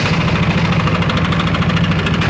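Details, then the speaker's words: Yamaha NMAX scooter at idle: steady, quick tick over the putter, abnormal rough engine noise; worn piston and bore (boring) need replacement. "Ya, benar emang ada bunyi etak, bunyi yang tidak wajar di mesin ya."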